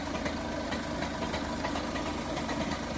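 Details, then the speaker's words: Volkswagen Passat CC TDI diesel idling at 9 a.m., heard from the gearbox side: uneven rattling knock under the steady chug that disappears with a few revs; dual-mass flywheel knock. "Вот как работает пластмассовый маховик. Слышны постукивания со стороны коробки."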